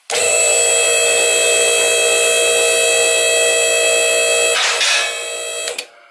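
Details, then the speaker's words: BendPak 4-post lift, 220 V single-phase 20 A power/hydraulic unit: steady pump-motor whine about four seconds then winding down while raising; clicks as safety locks engage ladder; normal. "When you hear the click, that means the safety lock has engaged with one of the cutouts in what they call the ladder piece inside the columns."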